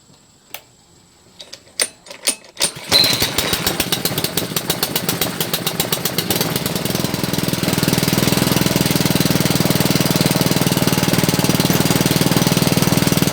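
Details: Honda GC160 5 hp engine after hard-start repair (faint spark, carb fuel leak found): a few pull-cord tugs, then it fires with choke and settles into a smooth, even, rapid putter; normal running.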